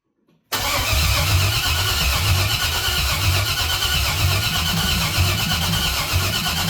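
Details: LS-swapped 1968 Cadillac hearse with 6.0 LS engine, cam sensor just replaced, with a no-oil-pressure issue: steady starter cranking with a rhythmic chug that never catches; crank no start, later traced to bad gas and two broken wires.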